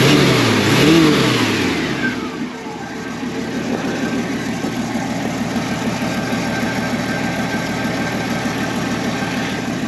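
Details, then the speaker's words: 1965 Ford Mustang with the six-cylinder, single soft exhaust, spark plug wires replaced: quick throttle blips then a smooth, steady idle with even firing and no knocks; normal, healthy engine. "Voilà, ça tourne bien, ça pète bien. Et ce et ce bon vieux 6 cylindres indestructible fonctionne lui aussi très très bien."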